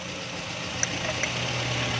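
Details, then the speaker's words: 2008 Toyota Corolla after repairing a sensor wire broken inside that caused a no-start: the engine now starts and settles into a steady, even idle with a low, quiet hum and no misses or knocks; normal idle. "देखें दोस्तों, इसमें अभी गाड़ी भी स्टार्ट हो गई है। अभी हमने तार को रिपेयरिंग किया है, तो गाड़ी भी बिल्कुल सही हो गई है और इसका करंट भी ऑन हो गया है।"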